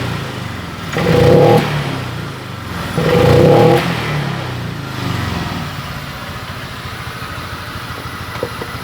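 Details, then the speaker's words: Honda Vario 125 scooter hesitating at initial throttle: two short, strained blips that die back quickly with heavy, unresponsive pickup; cause found to be low fuel pump pressure, below the 40+ psi expected running. "oke mas bro secara otomatis saya tarik tuas gas seperti ini responnya terasa berat banget responsifnya habis"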